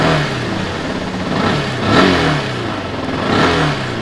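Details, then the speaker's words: Customised Yamaha R15 that kept cutting out: steady idle with two smooth throttle blips, no misses, after loosely tied lean-angle (tilt) sensor repositioned and fault codes cleared; normal running and revving. "Motor hidup. Jadi permasalahannya itu ternyata pada sensor ini."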